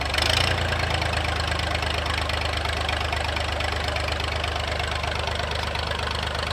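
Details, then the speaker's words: Massey 2500 forklift with a Perkins AD3 152 diesel, sat for years, quit with a suspected fuel issue, restarted. Loud, steady diesel clatter at an even idle with no muffler, no misses or stumbles; it runs properly. "Now I'm gonna take her for a rip, but she runs good, eh? Let's hear it again."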